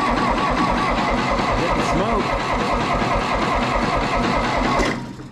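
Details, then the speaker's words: 1960 John Deere 1010 diesel tractor after engine rebuild, some glow plugs not working: slow laboured cranking with uneven chugging, never catching, then winding down; owner suspects a tired starter. "I really think if that starter wasn't so tired this thing would would pop off"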